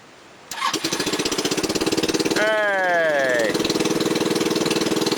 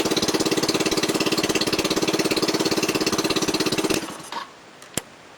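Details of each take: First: SL250 250cc scooter after electrical, vacuum line and carburetor rebuild, de-restricted muffler, makeshift air filter, running slightly rich, cold start after sitting overnight: short crank, catches at once into an even steady putter; enlarged idle jet makes cold idle high, lower when warm. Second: 250cc SL250 scooter, cold after sitting overnight, following carb rebuild, electrical and vacuum line repairs, de-restricted muffler and makeshift air filter: fast, even putter idling high because the enlarged idle jet runs it rich; idle drops once warm.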